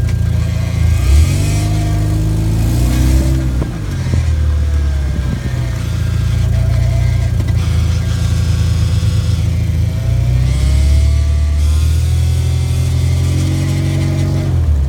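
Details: 2013 Genesis Coupe with 8-speed automatic: heavy engine drone with a faint midrange whine that sweeps up and down as revs change; transmission noise, cause unknown.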